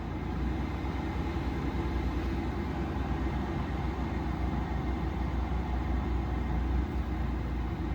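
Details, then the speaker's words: Vevor diesel heater restarted after sitting with UV-degraded diesel that was drained out, pump primed: it ignites, then runs with an even low rumble and fan hum as the full-blast blower speeds up with rising temperature. No sputter, burning normally. "And I do have this set on full blast, so you'll start hearing the blower motor speed increase as the heater temperature rises. Yeah, it's definitely working now."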